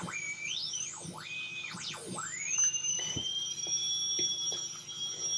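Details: Homebuilt FET AM radio tuner with a salvaged tuning coil and a long wire antenna, while tuning: shrill whistles sweep up and down in pitch, then a steady high tone, with stations barely audible; the receiver is oscillating.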